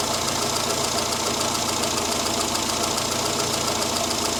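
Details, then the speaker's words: Morris Minor at idle after the mixture was richened for its standard, non-high-power ignition, aiming for 13.8–14 AFR, with idle speed brought down slightly: steady, even idle with a fast regular pulse, no misses or knocks; normal idle. "So I'm aiming for that 13.8 to 14 AFR at idle. I will just bring that idle speed down just a fraction."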